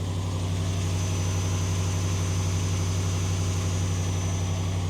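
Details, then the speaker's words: 2020 RAM 1500 5.7L Hemi V8 with MagnaFlow/Flowmaster muffler, otherwise stock exhaust, just push-started at idle: even steady low rumble with throaty bassy exhaust, no ticking; idles cleanly. "I guess now's a good time to hear if I see if I hear any ticking. Nope, she sounds good."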